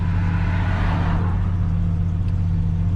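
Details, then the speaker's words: 1995 Jeep Grand Cherokee started after sitting six months, on its first start with a new battery replacing the failed one. Smooth, even, low engine hum with no knocks or stumbles. This is a normal idle. "we're going to give it the sauce there we go start it up just like that"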